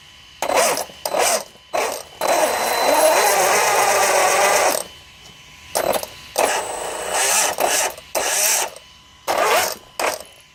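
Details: Losi DBXL-E V1 electric RC buggy, tires blocked, short throttle bursts: rough gritty grinding whir; it lost power, first suspected pinion, found to be bad motor bearings.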